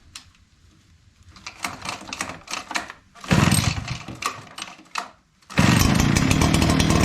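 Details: Echo PB9010T backpack blower after annual maintenance (new spark plug, air filter, fuel filter), refuelled, primed with the primer bulb, about 50°: a few pulls and sputters, then the two-stroke catches and holds a strong, even high-speed run without bogging.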